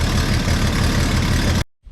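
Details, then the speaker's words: Classic truck with poor exhaust, after collector gasket work: loud raspy idle with busy puffing chuff over a low rumble; owner suspects an exhaust manifold leak toward the back, replacement manifold possibly at fault. "That sounds like a manifold leak. I'm not feeling a lot of air coming out of the collector, but I can't reach. It feels like it's in the back here."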